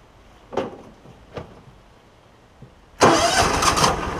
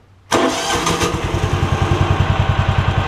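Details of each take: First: John Deere Gator, hard starting misdiagnosed as carburetor; short failed cranks then longer crank before firing and idling, weak spark from failing ignition coil, replaced. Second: John Deere Gator (Kawasaki engine) after ignition coil replacement, previously very hard to start and misdiagnosed as a carb issue; catches immediately and settles into a steady, even single-cylinder idle thump, normal start.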